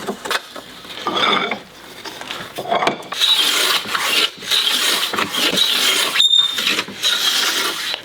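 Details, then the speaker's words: Hand planing an interlocked, rippled hardwood classical guitar fingerboard blank: hissing strokes with brief high squeaks from the plane sole. This is normal; no soap or lubricant is used, to avoid contaminating glue joints. "as you hear it squeak you'd be tempted to put soap onto the bottom of your plane or anything like that"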